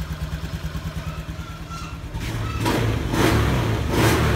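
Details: Fuel-injected motorcycle after ECU reset, no fault codes: idle starts high, then settles to normal idle over a few seconds; clean rise in revs held smoothly with no stumble or lag; normal revving.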